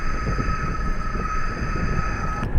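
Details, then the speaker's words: Lincoln Aviator front wheel bearing heard through a microphone clamped at the hub while the wheel turns: steady rough growl under a constant high hum, right side much louder than left; worn right front bearing, later replaced. "Oh man, that one is a lot louder. There's the right one. There's the left one. That's a big difference, I would say."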